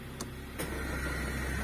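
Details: 2005 Honda Jazz VTEC idling: quiet with AC off, but a couple of sharp clicks as the air conditioning kicks in, then a steady low drone; unwanted, uncomfortable noise with AC on.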